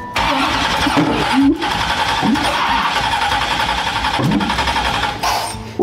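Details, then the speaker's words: '57 Chevy after swapping coil packs: catches and runs ragged with uneven stumbles and pops, sounds out of time; owner suspects an unplugged vacuum hose at the back sucking air into the intake. "What the heck is that noise? Sounds less than ideal. It sounds like it's out of time, but it's impossible that it's less."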